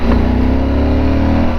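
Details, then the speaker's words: Yamaha inline-twin motorcycle, riding from about 2,000–2,200 rpm then a downshift blip: deep, even note swelling smoothly, steady firing with no knocks or rattles, sounds like a V-twin; normal healthy revving. "see i'm not lying it does sound good it sounds like a v-twin and i never thought i would hear a good sounding inline two"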